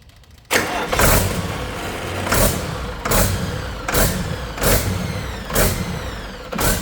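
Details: Detroit 40 series generator turbo diesel (rebranded Navistar DT466, possibly DT530), sat outside 5+ years, run briefly without coolant after bleeding injectors: speed swells and sags about once a second at no load, no knocking, throttle pulsing; governor/pump suspected, unconfirmed.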